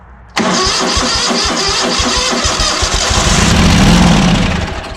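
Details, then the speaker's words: ZT200 mower twin after ignition conversion, plug refitted with fresh starting fluid: catches abruptly and bangs away unevenly on ether for a few seconds but won't sustain; fuel pump inlet hole blocked, so not pumping its own fuel. "so hearing it fire on starting fluid super happy about that i was clearly banging away the way it should"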